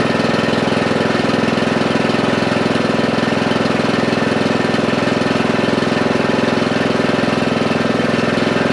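Steady, even single-cylinder thump at about three beats a second, no misses or knocks; the mower engine is running normally.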